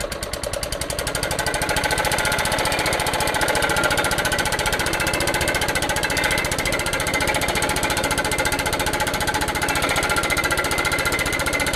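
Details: Old Suffolk Punch 43S lawnmower, revived after being bought non-running, cutting grass: fast, even firing beat holding steady, no misses or knocks; normal running under load, later cut out from lack of fuel, probably still needs a carb clean.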